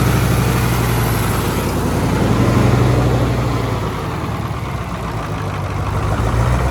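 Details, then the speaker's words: Allis-Chalmers AC 440 tractor diesel at idle after a new fuel pump, and possibly a solenoid, fixed its loping. Steady low clatter with only a gentle swell, no hunting; the idle is even and healthy. "Yeah. So, it's idling like See, it's idling like it should now. >> We don't know if it was the solenoid or the fuel pump that made the difference, but it don't matter now."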